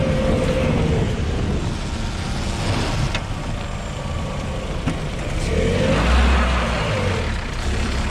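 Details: 2020 LADA Vesta SW Cross, 13,300 km, 1.8 engine, AMT gearbox, updated SAAZ front struts on broken dirt road: steady road rumble and tyre roar, no front-end clunks or knocks; struts absorbing bumps normally.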